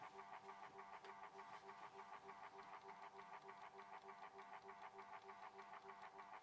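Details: Horstmann VA Mk9 SRS2 rate changer time switch, 240 V 50 Hz synchronous motor, just plugged in with spring reserve unwound: steady buzzing whirr with even ticking about three per second; normal motor and escapement while spring winds.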